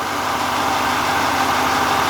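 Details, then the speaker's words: 2024 Chevrolet Silverado 2500 Duramax diesel idling after a FASS drop-in fuel system install: even diesel clatter, no misses, knocks or surging, no leaks; the pump is still priming out bubbles. Normal idle. "I don't hear leaking yet. Well, it's running good."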